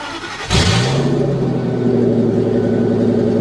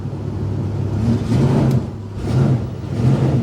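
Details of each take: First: 1997 Pace Arrow Ford-chassis motorhome at salvage auction, listed as non-running: cranks, catches, then very loud raw booming idle; exhaust open where the catalytic converter is missing, exhaust leak. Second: 1997 Ford-based Pace Arrow RV with 60,000 miles, listed at Copart as not running, started up: a low steady rumble with a slow, even pulse and no knocks or ticks, settling into a healthy idle.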